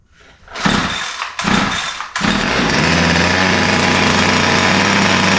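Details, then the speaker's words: Ryobi two-stroke line trimmer, used, fuel lines intact, started with start lever and no trigger: fires after a few pulls but idle is uneven and thin; both mixtures sound lean, suspected not confirmed. "so um you can hear that it runs but it doesn't run that well um it sound sounds like both mixtures are lean the idle is uh doesn't sound right uh typically it'll be a smoother more consistent idle"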